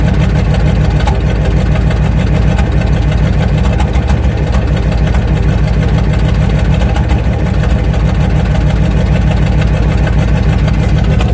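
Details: 1994 Ford F350 IDI non-turbo diesel: deep clatter with uneven beat, one or two stumbling pops a second, a cylinder misfire under acceleration that clears in top gears; fuel filter, return lines, thermostat replaced.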